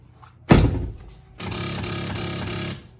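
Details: BMW E70 soft-close door: heavy door thunk followed by a steady mechanical grinding whir for over a second, every closing; soft close no longer pulls the door shut; fix disables it by pulling that door's 10 A fuse in the rear cargo fuse box.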